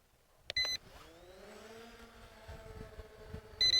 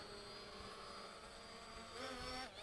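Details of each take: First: ZLL SG906 MAX drone hovering: two bursts of rapid high beeps over the rotor hum as the obstacle avoidance sensor blocks forward flight with nothing ahead; sensor suspected faulty, cause unclear. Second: ZLL SG906 Max drone after removing the obstacle avoidance sensor: smooth steady propeller whine rising briefly as motors spool up on takeoff; even and clean, flying normally.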